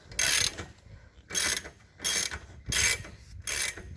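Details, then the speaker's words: 1986 Honda Fourtrax 70 ATV during restoration, new gas tank, fuel flow confirmed, on reserve, spark checked: four short whirring cranking bursts that never fire, engine stays cold; cranks but won't start, cause unknown. "it doesn't sound like it's getting spark but we just checked spark it just it just sounds like it's turning over nothing's even warm"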